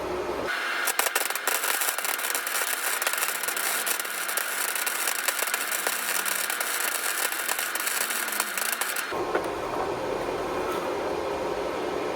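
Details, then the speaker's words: Welding V-band flanges onto used long-tube headers for a '61 Mercury Comet exhaust: steady even frying crackle, no breaks or pops; setting right with good penetration. "Setting seems to be just right. Yeah, I get good penetration."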